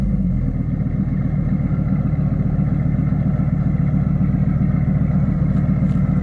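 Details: Dodge Ram SRT10 with a Viper V10, under 100,000 miles, bought at auction listed with engine and transmission issues. Fires up into a steady, even deep burble with no knocks. Runs exceptionally well at idle.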